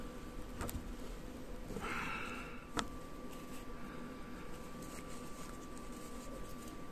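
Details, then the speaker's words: Small DC blower motor after cleaning and lubricating brushes and rotor contact: quiet steady high-pitched buzz at one pitch, no squeak or catching; spins freely, normal running after repair. "is it! Now it spinns freely and without any noises!"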